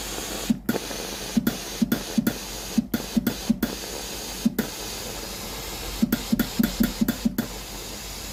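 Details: Philips GC9682/80 steam iron, ready but soleplate heater not heating: irregular wet spits and short hissy bursts, a dozen in eight seconds, no steady steam roar; water drips from the soleplate; faulty relay (ALDP124).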